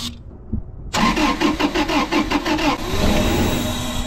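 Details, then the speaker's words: 2000 Toyota 4Runner with 363,000 miles: the engine cranks with an even rhythm but never starts. Fuses and ECU power were checked and the throttle body was sprayed, and the diagnosis is a failed fuel pump. "All right, guys. Diagnosis is fuel pump's bad."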